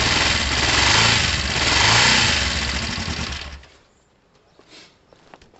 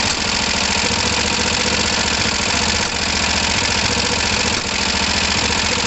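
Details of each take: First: Kawasaki ER5 twin, first start since the incident, running on choke: even steady beat, no misfires, no smoke, then shut off; sounds healthy, oil near the bottom line. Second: Kawasaki ER5 motorcycle, not yet warm, with uneven idle and sharp spits back through the carbs near 3 and 4.6 s while carbs are checked for overflow drips; owner suspects the fuel pump or filter is starving them of fuel.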